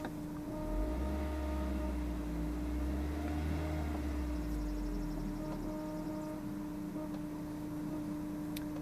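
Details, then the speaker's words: 2002 Audi A4 1.8 L turbo with 81,000 miles: a steady high-pitched whine from the middle rear of the car over a low rumble, not linked to engine speed; recently started, cause unknown. "recently a high-pitched sound started from the middle rear of the car it does not appear to be linked to the engine speed"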